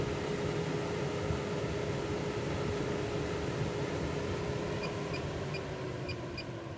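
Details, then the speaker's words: MaxxAir roof fan after replacing the electric motor and circuit board to fix beeping, at 100% power: steady, even whoosh with a constant mid hum, no knocking or rubbing; runs smoothly. "so here it is guys it is all done 100 power and no issues"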